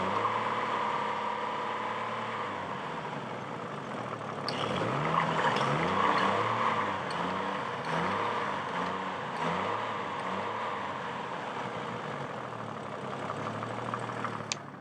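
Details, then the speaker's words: Chevrolet Trailblazer after a new clutch fan and fresh oil: the engine rises and falls smoothly through several revs with no knocking, only a faint tap. The tachometer doesn't work. Healthy, normal revving. "I'm really surprised how good it sounds now so I think it's going to be a pretty good vehicle for the winter months"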